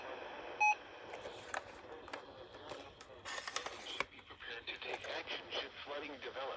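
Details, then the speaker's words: RadioShack 12-382 weather radio (2008): very faint, garbled broadcast voice breaking into crackly bursts over hiss; dead tuner, very quiet and distorted. ">> It's very, very quiet and distorted."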